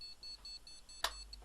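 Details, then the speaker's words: Gigabyte GA-Z77X-D3H motherboard with damaged CPU socket pins, powered on: fans run, rapid unbroken high beeps about five a second; never finishes POST, cause not yet known. "it's making a fast continuous beep beep beep beep beep beep beep"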